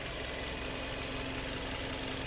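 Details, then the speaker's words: Car engine after repair of piston-slap knocking and heavy oil burning from excessive cylinder-bore clearance. The engine was cleaned of sludge and heat-resistant parts fitted, keeping the original parts. Smooth, even idle hum with no knocking: healthy. "来，启动。发动机完美启动，我们一起来听一下声"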